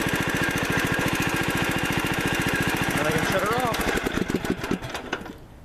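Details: 17.5 hp Briggs & Stratton OHV single from a John Deere D100 mower, after camshaft replacement for broken decompression release, started cold with choke after sitting overnight: even, steady beat, no misses, then shut off; normal running.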